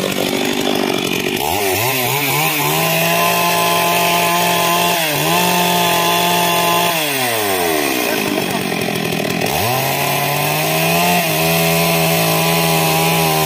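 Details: Stihl MS 382 chainsaw after no-start fix: fires up, revs cleanly and settles, then pulls steadily under load through the cut, smooth and strong. Normal running.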